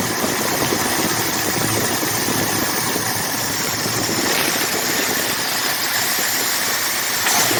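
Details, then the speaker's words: Rebuilt 1979 Ford F150 V8, warm, with temperature and oil pressure good: steady, even idle with hissy intake rush on top, no misses or stumbles; normal idle. "Now let's see what she sounds like. As you can tell, it sounds really good."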